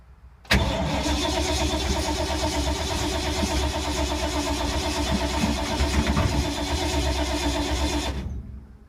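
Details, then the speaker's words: 1952 Ford, sat for months in rain and moisture, possibly flooded: starter churns steadily about eight seconds with no firing or catch; cranks, won't start, owner bets on points and condenser, not confirmed. "I bet it's the points in condenser. This thing's been sitting so long, so much rain, moisture. Wow, 5 minutes of crankage and nothing."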